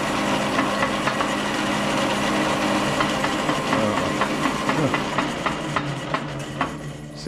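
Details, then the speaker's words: Logan lathe Model 1922 test run after replacing the change gear stud: steady running with a gear whir, but sharp, irregular bangs about twice a second; cause unclear. "good except for this banging"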